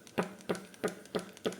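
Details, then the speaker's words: New Shimano Socorro SW 6000 spinning reel: loose, wobbly handle gives sharp, even clicks about three per second, one per turn, as it is cranked; play in handle suspected, not confirmed. "ini goyang ini handel ini goyang tidak Solid saat diputar dia menimbulkan apa ya bunyi yang mengganggu terus ada kayak cetek cetek cetek yang mengganggu tek"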